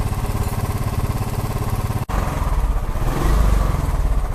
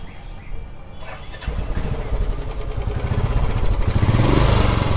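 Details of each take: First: Royal Enfield Classic 350 after engine noise repair: deep, even single-cylinder thump about three beats a second, no ticking or clatter, running smoothly in gear. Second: Royal Enfield Classic 350 single cylinder: cranks, catches, then thumps with ragged, clattery beat swelling with each blip; cracked-sounding top-end noise and rough running, hydraulic part suspected, not confirmed.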